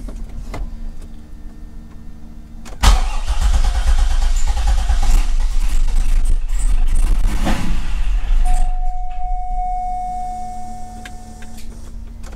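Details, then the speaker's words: Gen 3 LS1 with 90mm LS3 gold-blade throttle body on 411 PCM, tweaked in HP Tuners, no wiring changes: cranks and catches into loud, lumpy cold idle that hunts then settles; rough cold start. "it definitely didn't like that cold start for some reason so we'll have to kind of play around with that a little bit"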